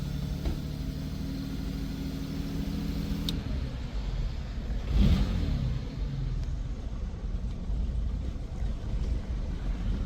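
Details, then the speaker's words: 1952 Jaguar XK120 three-carburetor engine on choke while slow-running mixture screws are turned; low wavering, sagging idle barely holding on; rough idle from unevenly mixing carburetors, some lean, some rich. "Is struggling to idle. Was struggling to idle, maybe a little bit more."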